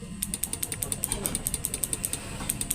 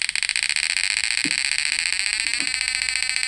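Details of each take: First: Relay on a PDC inverter (setrum) clicks sharply and evenly about nine times a second while no output current comes out; relay chattering with no output. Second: Repaired PDC 12F mini electric shocker (setrum) whose output was dead with the relay only clicking: shrill, steady electronic whine with a fast pulsing buzz and no dropouts; inverter output and frequency now normal.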